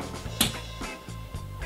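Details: LEGO vacuum engine fitted with a LEGO needle roller bearing: uneven puffing clicks about three a second with ragged gaps, over faint music; runs no better than the standard bearing, suspected from excess bearing play.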